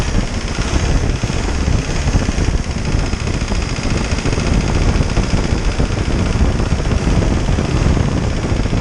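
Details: Isuzu 4BD2T turbo diesel at initial startup, warming up until the thermostat opens: steady, even idle clatter with a fan whirring behind; no knocks or misses, good oil pressure, healthy.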